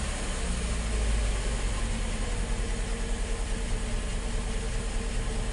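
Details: 2003 Saturn Ion just after fuel filter replacement, fuel pump primed first: steady even low idle with no stumble, misfire or knock; running smoothly, being checked for leaks.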